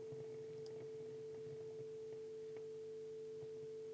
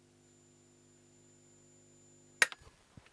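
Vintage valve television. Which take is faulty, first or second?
second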